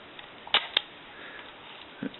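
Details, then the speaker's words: Contax II-A camera, winding mechanism: two crisp clicks then softer click; film wind works and frame counter advances each wind, working properly. "Winding mechanism. And the counter does advance every time you wind the counter."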